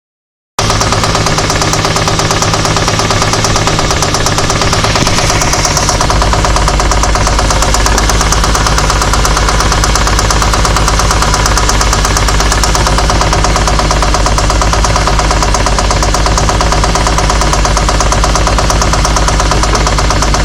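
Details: Infiniti G35 petrol engine running: steady, rapid knock tapping through it, about three knocks a second; engine knocking.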